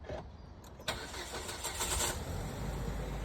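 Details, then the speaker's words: Jetour Dashing at 100,000 km, cold start in cool weather (silent all summer), phone placed near the source: sharp bang, then rough, uneven rattly chatter over the idle. The cause is unknown. "Наступили опять прохладненькие времена, и автомобиль при запуске начинает издавать посторонние звуки конкретно вот с этого места."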